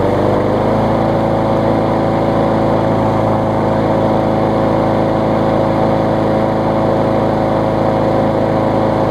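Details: Bolens mower after fitting a missing intake tube, repairing the broken starter recoil and adding fresh gas; owner feared low compression or smoking from caked oil: steady, even drone with no misses or hunting, running great.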